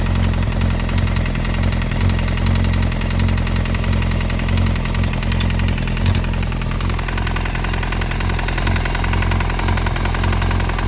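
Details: 2002 Yamaha YZF-R1 inline-four idling with a light metallic top-end rattle/knock after a year in storage; EXUP and exhaust manifold bolts checked, new cam chain tensioner didn't fix it; cause unknown.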